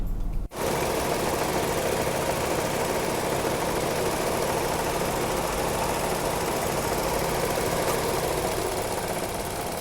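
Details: Nissan March/Almera/Note, engine running with AC on, heard at the front radiator cooling fan: loud, steady rough whirring from a worn fan motor bearing; fan motor replaced.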